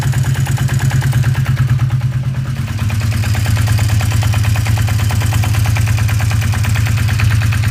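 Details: 1981 Yamaha XS 400 2A2 café racer at idle: regular light knocking and rattling, roughly three knocks a second over the engine beat; cause unknown.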